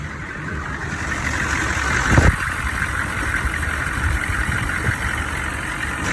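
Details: Engine at idle: sharp high-pitched bang near two seconds then light uneven knocks; suspected cracked flexplate or loosening crank bolts, not confirmed.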